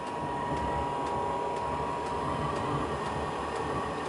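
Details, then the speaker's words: Newly installed diesel space heater running steadily at over two kilowatts: a steady, even fan hum with a soft regular tick about twice a second as the fuel pump pulses diesel into the burner; normal steady running. "that's the actual sound of it running and those sounds are little pulses of diesel being burned"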